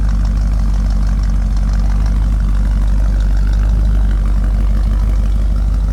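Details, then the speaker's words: 1963 Impala SS, freshly built mild V8 with ported heads, Z20 springs and a different cam: deep, steady, quiet idle with an even low rumble through the exhaust and no ticks or knocks; healthy. "Really quiet engine. Idles really smooth. Sounds really good to the exhaust."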